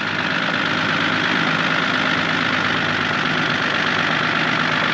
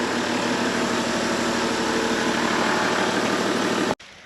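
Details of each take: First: Engine at idle with a light, irregular tick riding over the engine note; vehicle still drives, no smoke; owner suspects maybe a big end, not confirmed. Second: 2006 Toyota Land Cruiser 100 series GXL, auto, after overheating, found with no oil in the engine: steady, even idle for about four seconds without knocks or misfires, then switched off cleanly; sounds healthy.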